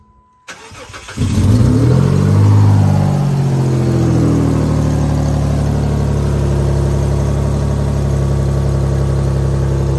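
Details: Chrysler/Dodge 3.5 V6 test start after timing belt, tensioner, pulley and water pump replacement (belt had skipped a tooth from coolant buildup, code P0016): starter cranks briefly, engine catches at once and settles into a smooth, even idle without knocks or misses.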